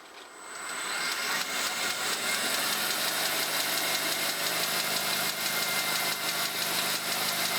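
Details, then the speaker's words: Monarch 10ee lathe with reworked drive and rebuilt gearbox, in direct drive at 1,200 RPM: spins up quickly to an even steady whir with light hiss, no knocks or grinding. A gearbox dog clutch may clunk slightly on sudden speed drops, deemed no issue. Normal running. "Yeah, it's a good runner. I'll be happy with that."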